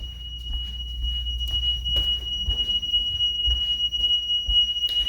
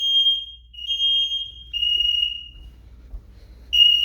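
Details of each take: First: DSC home alarm entry delay on return home: a steady high-pitched electronic tone counts down over footsteps and door noise. This system allows 45 seconds to enter the code or use the key fob before disarm. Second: DSC alarm in test mode, living room smoke detector, an instant zone, set off with its test button: piercing high-pitched tone in pulses about a second long with short gaps; smoke alarm sounding properly on test.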